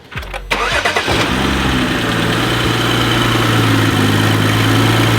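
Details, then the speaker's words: BMW X3 35i, N55 turbo engine, after a transmission swap and coding: idles unevenly, dipping and recovering as it comes in and out of power. Light misfire somewhere; cause not confirmed. "kind of hear it coming in and out of power so you've got a light mpire somewhere"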